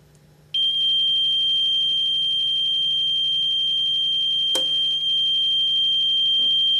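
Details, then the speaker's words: Older APC ES 750VA/450W battery backup with a low battery: a shrill high-pitched warning tone sounds continuously while plugged in, meaning the battery needs replacing. "that is a low battery indicator light and you hear that beeping noise let's turn it off you will continuously hear that beeping noise when this is plugged in so you will know the battery needs to be replaced"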